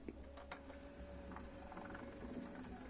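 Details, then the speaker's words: CD changer struggling to read a disc: faint whirring, scattered clicks and thin steady tone without settling into spin-up; laser suspected worn out, air blown in did not help, still won't play CDs. "it's probably not gonna work because it sounds like the laser has completely lost it but sometimes blowing little air into it tends to wake them up tick tick nope it's not going to play cds"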